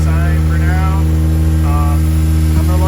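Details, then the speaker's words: 1993 Toyota MR2 SW20 with swapped 2GR-FE V6, running about a minute after new oil pressure and temperature sending units and adapters were fitted; the gauge shows pressure and no leaks are seen; smooth, even low idle with no knocks or ticks: normal idle. "All right, well, you can hear it's running. You can see the gauge is giving me pressure."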